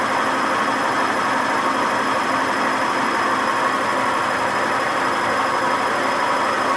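Steady, harsh roar through the fast spin with no thumping, like a dry rumbling bearing; the drum bearings are badly worn.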